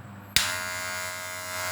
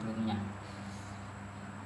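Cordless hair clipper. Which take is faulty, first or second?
first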